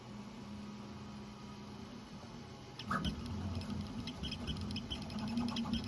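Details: Prusa XL 3D printer extruder: quick, high, bird-like chirping starts over the steady printer hum while feeding. Cause unconfirmed; support suggested loosening the extruder idler screws.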